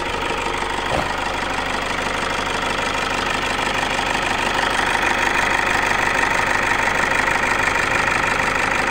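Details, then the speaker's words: Toyota Fortuner common-rail diesel after repair of a broken valve, engine somewhat worn and piston rings not replaced: smooth, even diesel clatter at steady idle with no misses or stumbles; running normally. "Nah, jadi ini alhamdulillah sudah hidup untuk mesinnya, normal, tidak ada masalah ya."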